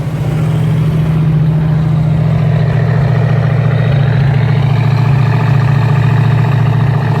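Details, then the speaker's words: Rebuilt Ford 289 V8 first start after two-year restoration, warm with good oil pressure, temperature under half, idling about 1600–1700 rpm: deep steady burble, even beat, no ticking or knocking; healthy fast idle. "like i said i'm running at about looks like about 16 to 1700 rpm so the rpms are good the way i like it"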